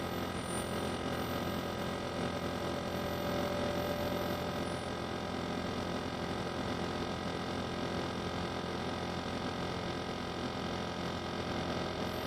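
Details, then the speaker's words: Vacuum furnace turbo pump at about 670 Hz (max 1200 or 1500 Hz), accelerating slowly at high pressure: steady hum under a thin mid-range whine creeping upward; normal spin-up. "So turbo is still accelerating because the pressure is high. It's having trouble accelerating. Once it gets into millitorr, it'll accelerate faster."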